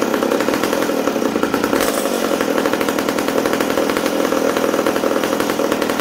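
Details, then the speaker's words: McCulloch Super Pro 70 chainsaw after fuel tank repair, restarted after running too rich, indoors: crisp, steady high-revving two-stroke buzz with even firing throughout; the saw is running clean and healthy. "wow there we go super pro super pro 70 ready to go again hopefully"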